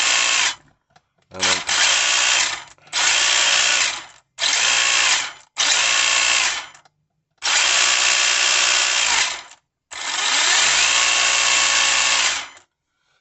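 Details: Tamiya Holiday Buggy (DT02) after an ESC and brushless motor swap, neutral just set: repeated short bursts of high, even motor whine spinning up and cutting off cleanly, no grinding or stutter; motor running normally, heavy drag brake noted.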